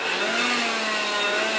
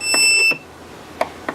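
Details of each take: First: Electrolux Ergorapido Lithium battery vacuum after seized fan motor repair: steady high motor whir with slight wavering pitch settling into an even tone; normal running. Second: Trash-found Electrolux Ergorapido Lithium battery vacuum, red LED on: half-second high-pitched buzz cuts off, then faint clicks; fan motor seized, won't turn by hand, energised but fan jammed, likely rubbing; owner doubts a bad battery, suspects possible liquid damage.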